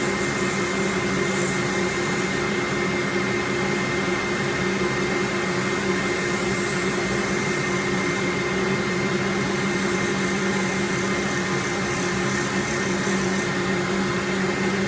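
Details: Workshop dust extractor switched on during bowl sanding: constant airy roar with a steady hum underneath, no rattles or speed changes; the extractor is running normally.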